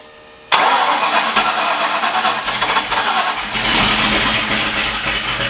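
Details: Ford Foxbody with freshly rebuilt engine, first start attempt after fixing two missing coil grounds; engine catches roughly after cranking with uneven popping and sputtering and no steady idle, a rough misfiring start. Cause not confirmed.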